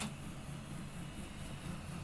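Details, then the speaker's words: 3D printer printing a PLA temperature tower, last element at 190°C nozzle with a 70°C bed. Motors hum with faint regular extruder clicks as it skips from nozzle resistance. Temperature too low. "maybe you can hear now the clicking of the extruder so definitely this is too low temperature but i will let it finish now"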